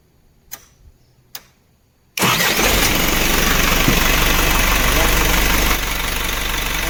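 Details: Isuzu diesel engine that would not start because of a bent fuse in the engine stop motor circuit. With the fuse fixed, quiet clicks lead to the starter catching at once and a steady, even diesel idle with no misses.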